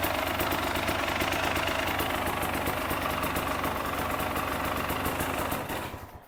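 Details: KTM two-stroke motorcycle run cold, before reaching operating temperature, during an extra-fan check: crisp, quick ring-ding popping at a fairly steady idle, then the engine is shut off; a healthy two-stroke idle.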